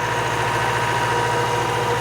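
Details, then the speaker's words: Classic Saab barn find with 81,000 miles, stored 32 years, freshly revived and running from a small rigged fuel can: steady, even idle with a soft, fast, regular beat and no knocks or misses. Normal idle. "I just can't believe how smooth it is. It's so nice."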